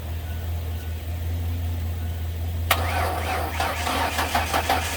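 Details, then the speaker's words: Ford Ranger after manual transmission reassembly, on jumper cables with a weak battery. The starter cranks in uneven pulses without catching. A firing order wrong per the manual is suspected and was corrected. Cranking without start. "yeah all right we're going to try again it almost went the second time but uh I think the timing was messed up or not the timing but the firing order so I checked that and it was messed up I think according to the manual and then the battery was just a little too dead"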